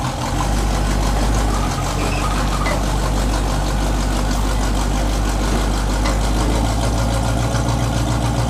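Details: 1984 Chevy K20 V8: steady deep idle with a raspy, droning, poorly muffled exhaust; the cheap fiberglass-packed turbo mufflers, fitted a couple of years ago, are worn out.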